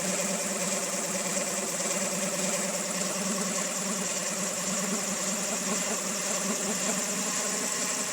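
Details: 2000 Honda Civic EX with rebuilt D16Y8 engine, mechanical timing appears dead on; loud rough idle with harsh metallic clatter over an uneven beat, owner suspects cam pulley, timing tensioner or a bearing not rotating smoothly, unconfirmed.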